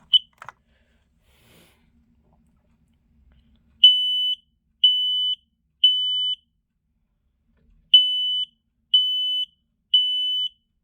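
Loud high-pitched beeps in groups of three, about half a second each, pause, then three more; standard alarm test pattern.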